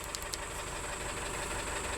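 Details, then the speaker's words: 2012 VW Tiguan GDI turbo that stalled with suspected low oil pressure, still 2 quarts low after oil added, belt slipping on oily alternator: rough idle with deep rapid knock and chirp on top; massive rod knock, engine judged finished. "This is ridiculous. That's a massive rod knock there. I mean, if they added oil and it's still 2 quarts low, I believe it's game over."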